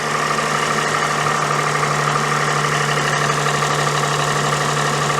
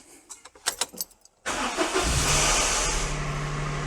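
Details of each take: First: Daihatsu Sirion after fitting a new alternator, new water pump and new belt: steady, even idle with low hum and soft accessory whir, no squeal or knock; remaining noise is normal, though the starter motor is now not disengaging properly. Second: Daihatsu Sirion after new alternator, water pump and belt: engine cranks and catches, then a steady low whirr keeps running over the idle as the starter motor fails to disengage properly after start-up.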